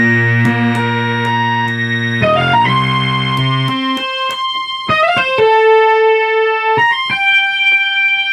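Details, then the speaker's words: 1974 Minimoog, before oscillator board restoration: clear notes and chords, but all three stacked oscillators sit at odd intervals; oscillator ranges incorrect. "so as you can hear this is all three oscillators restoration so you'll notice that the ranges are not right"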